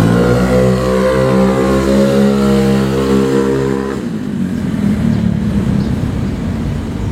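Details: Vario 110 carbureted scooter with new R-One standard-racing exhaust: deep muffled drone climbing smoothly with throttle then dropping off; quieter than previous exhaust, even-running, nothing amiss.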